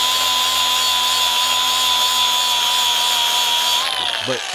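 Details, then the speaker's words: Cordless grinder shaving down a 2001 EZGO TXT 36-volt golf cart battery tray to fit: high, steady whine that sags and drops in pitch once it bites into metal; tool bogging because its battery is almost dead. "you can probably hear the grinder is struggling a little bit because the battery's almost dead."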